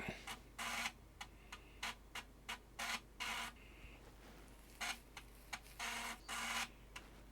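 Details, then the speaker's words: Amiga 600 with Kickstart 2.0 ROMs and newly replaced floppy drive: quick bursts of buzzy head-seek chatter with short ticks between, a clean steady disk read while booting Workbench; drive boots fine. "that shows us we have got 2.0 ROMs and it's looking for a disk I can hear it ticking so I'll be right"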